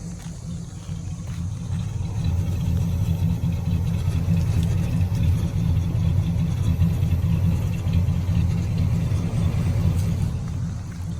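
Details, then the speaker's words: One-owner 1977 Ford LTD coupe with 402 V8, transmission unknown, started with just the key and no throttle: deep, even low rumble at a steady idle with no knocks, misses or ticks; a quiet, smooth, healthy idle. "It's just so quiet. It's a good running car."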